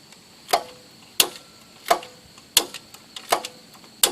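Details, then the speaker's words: John Deere 210 lawn tractor, 12 V battery reading about 12 volts: key switched on, electric PTO clutch clicks crisply about once a second as it engages, showing battery charge and power reaching it, wiring harness good; engine still won't start. "can hear it engaging so the battery does have a charge and the power is getting to it which means the wiring harness is good"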